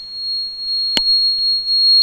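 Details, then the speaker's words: Energia Italy gas conversion system running on gas, injector 3 deliberately disconnected: switch sounds steady high-pitched continuous beep, open-load error as injector signal is lost, gas injection time drops to zero and system switches to petrol. "Now you hear that the switch is playing this sound, and as you see here, gas injector 3 is in open load. This is meaning that we have lost the signal of the gas injector, so we cannot sense if it's connected."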